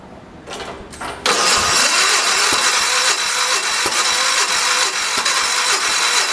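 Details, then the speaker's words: 1973 112 tractor with new points, coil and condenser; points set per book; a few weak cranking bursts, then it catches and runs unevenly with irregular pops; ignition points out of adjustment. "alright so I just to the points a little bit let's go on ahead and try it again"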